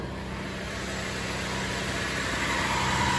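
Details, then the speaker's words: Cadillac CTS with replacement engine after the previous motor ticked loudly from bad lifters; steady, even idle hum with no top-end tapping or ticking; normal idle. "so you can't hit no T you don't hear no ticking than that that guy sounds good bro"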